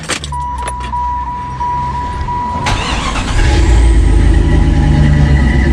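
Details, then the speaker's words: Jeep ZJ Grand Cherokee 5.2 V8 after water pump replacement; the old pump howled and leaked. Chime, crank, then a steady, even idle with no howl from the pump area. Normal idle. "Oh man, that's much quieter. It sounded like spoons in a blender. That was rough."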